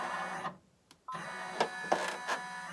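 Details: Cap embroidery on a Gen 2 cap driver, design traced first: the machine whirs through its trace, then three sharp knocks under a second apart as the cap brim strikes the embroidery frame, the sound that shows the design sits too far back.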